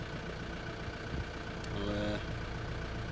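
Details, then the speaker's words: Makita top handle climbing chainsaw after ignition coil replacement: small two-stroke ticking over at steady even idle with a brief blip, healthy; chain oil output low, air filter missing. "ah ah seems to be running sweet can't get much chain oil though"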